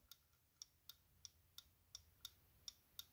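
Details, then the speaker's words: 1983 Porsche 944, a part during reassembly: crisp, even clicks about three per second, the normal clicking of a good part. "if you can hear that click but that's supposed to do that if it's good so you're supposed to be able to hear that clicking sound from what I've read so I think that piece is ok"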